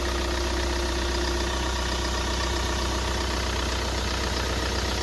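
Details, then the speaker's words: Mahindra Scorpio diesel engine rebuilt with original Mahindra parts, first start after rebuild with water in the cooling system instead of coolant and oil level checked; even, steady idle with a smooth low rumble, no knocks or misses, no back compression; healthy engine. "গাড়িতে খুব সুন্দর sound আছে, কোনো problem নেই।"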